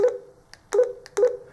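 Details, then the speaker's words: Kirisun DP770 DMR radio after submersion in a sink, dried and water blown from speaker: clean clear alert beeps with no buzz or muffling; normal alert tones. "sound normal again so I can say that the carries on DP 717 is as waterproof as it claims to be"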